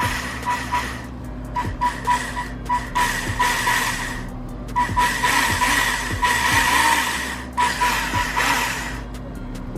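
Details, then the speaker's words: Polar Lights TikTok electric RC car before cleaning and greasing: motor revs in short bursts with a whining gear note and gritty rasp; gears sound dirty, to be cleaned with alcohol and greased. "do you guys hear anything and I'm not talking about that H it just sounds dirty to me so I'm just going to go ahead and um get some alcohol and clean these gears off pretty good"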